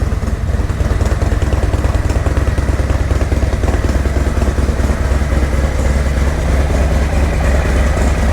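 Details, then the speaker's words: 2024 Harley-Davidson Road Glide, Milwaukee-Eight, cold start after Zippers 534 cam change: deep, loping idle with steady even pulses, intake sucking a lot of air, no ticking, knocking or leaks; normal idle. "Sucking a lot of air. Oh, chop for me, baby, chop. No leaks."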